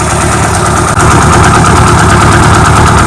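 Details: Carbureted car with mechanical fuel pump and HHO system, idling after a quicker start with HHO on, amp gauge showing little draw; deep steady idle, even low pulse about three beats a second, no knocks or misses. Normal idle.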